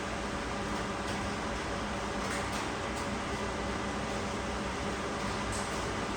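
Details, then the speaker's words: Rawsuns RAD20000 diesel-electric system, high-voltage heater test: steady, even rush of air with a faint constant hum, no rattles or surging, as the heater fan blows out hot air; temperature-gun reading rising, heater working fine. "We also can hear the fan. The sound of the fan. The fan is blowing out the hot air."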